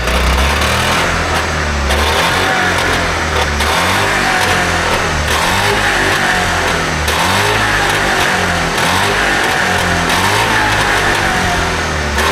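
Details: Trabant 601 two-stroke, recently bought, with a rust-seized wheel brake cylinder: revs surging and sagging with uneven, stumbling firing instead of a steady beat; owner says it doesn't run right; cause suspected, not confirmed.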